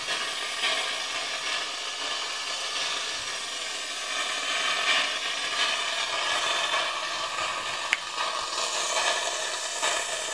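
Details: 2013 Mitsubishi Fuso FG; 3D-printed venturi eductor on about 20 PSI air sucking excess oil from the cylinders, injectors out; steady high airy hiss with faint gurgles, like dentist suction; pulling suction properly.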